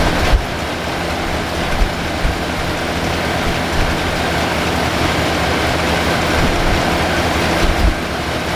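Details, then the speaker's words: 1978 Lincoln Town Car V8, first start after about 25 years stored, idles with a steady, even low rumble and no misses. Idle speed has been set down while old stale fuel is pumped out; the choke isn't coming off properly. "okay got the idle squeed down and we're just pumping the old fuel out a long there take a few minutes"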